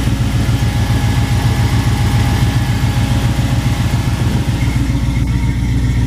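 Deep, even V8 burble at idle with a steady beat and no stumble or misfire; it runs and idles fine.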